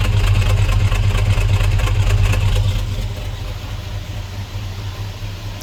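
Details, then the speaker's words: LS-swapped Squarebody Chevy C10 with true dual exhaust, idling on first runs with low idle and slight miss, oil pressure about 35 psi: deep, even V8 burble with no ticking or puffing from the front pipes; no exhaust leaks. "oh yeah I don't hear any leaks up front in the exhaust that's good"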